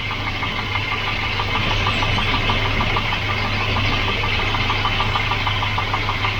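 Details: Volvo 240 (244) redblock engine that wouldn't turn over after standing, now starting after electrical and ground checks: steady, even idle with light, regular ticking over a low hum; running normally.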